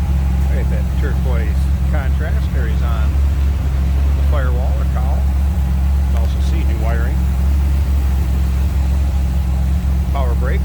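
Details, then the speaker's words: 1954 Chevrolet 3100 pickup street rod, 301 Pontiac V8, aluminum radiator and electric fan, heard with hood open: deep steady idle, even beat, no knocks or misses; healthy. "Sounds good. Just a really running engine, no doubt about that."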